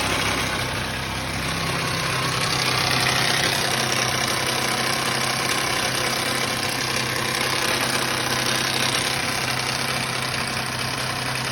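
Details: 2005 Ford Mustang V6 idling with a steady, fast metallic rattle; low oil pressure warning, no codes, cause unknown.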